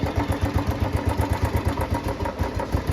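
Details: Royal Enfield Bullet 350 idling after Abro oil treatment was added to the oil: steady single-cylinder thump at about four beats a second with only a faint light tick on top. Noise much reduced from before, cause not confirmed.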